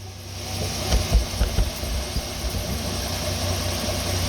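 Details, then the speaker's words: 2008 Pontiac Torrent with random dying, after ECU swap: a few thumps as it catches, then a low, even idle with a steady rumble and no stumbles or misses; normal idle, owner thinks the ECU was the problem. "runs nice and smooth no problems with that so I think I think this was the [Music] problem"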